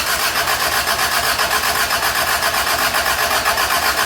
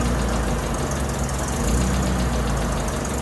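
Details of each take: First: Toyota Tercel 3A-C engine just reinstalled, third start attempt after fuel lines were connected: flooded on choke, choke shut off and throttle given; rapid firing at high revs dips briefly then picks back up as it clears. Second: Toyota Tercel, reinstalled 3A-C engine, first start with coolant added, valves not yet adjusted. Catches and settles into an even idle with a light, busy top-end patter. Started really good, sounds healthy.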